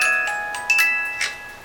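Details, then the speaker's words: 8-day Black Forest cuckoo clock with auto night shutoff, after cleaning, blowing out and oiling: music box plays and bells strike normally when hand is turned, bright even tune. "Now the music should play as needed. Cuz I think it shut off. And you notice this pulled out of the hole. So the music should play."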